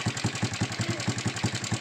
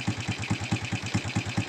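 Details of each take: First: Honda Supra X125 at idle before repair, owner complaint of loud ticking: sharp metallic ticks at about five per second over a steady idle; mechanic suspects a loose cam chain tensioner, which vibrates and may be internally damaged. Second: Honda Supra X125 with a loud ticking complaint, idling just after the vibrating cam chain tensioner screw was turned left: steady, even single-cylinder pulse with no top-end clatter, engine immediately smooth, though the noise came back later, suggesting internal tensioner damage.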